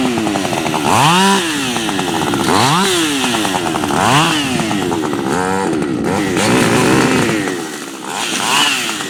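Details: Freshly built Husqvarna 555 HTSS work saw, newly tuned, not yet broken in, cutting small wood. Screams up sharply, bogs into the cut and recovers several times, pulling strong and clean; revs higher than a stock 555 with strong torque.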